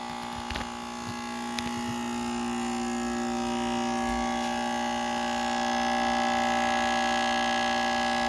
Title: Acer Predator Orion 3000 loud buzzing noise